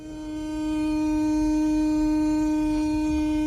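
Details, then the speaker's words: 2017 Audi Q5 3.0T HVAC blower motor on a low setting after being switched off and on: loud, steady horn-like howl and rattle from the blower; the bearing inside is worn out, so the blower motor assembly is replaced. "So I turned it off, turned it back on, put it on a low setting, and you can still hear that rattling noise coming from the blower motor. Definitely the bearing inside is shot."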